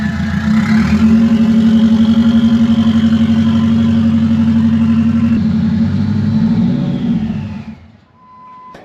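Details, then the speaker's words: Saab 9-2X (WRX-based) being stripped for parts, last start-up with exhaust removed: loud, raw, rapid-firing unmuffled engine note swells with revs, holds, then dies away. "It's actually not that loud. Okay. Yeah, it's it's loud."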